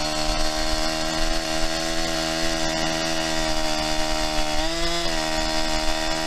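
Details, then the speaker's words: New Holzfforma 372XP chainsaw cutting: steady buzzing note sags and never climbs to a crisp high rpm; owner suspects carburetor needs tuning. "sounds like it needs some carburetor tuning i'm sure you could hear it there it just doesn't want to seem like it wants to get into that high rpm"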